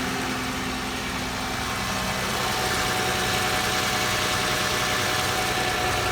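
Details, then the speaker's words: 2008 Lexus ES 350 with a bad transmission, first super cold start after sitting almost 2 years on old fuel, slight white smoke and fuel smell: even, steady idle with smooth low hum and light uniform ticking. Runs cleanly. "vibration test so smooth unbelievable unbelievable so she lives"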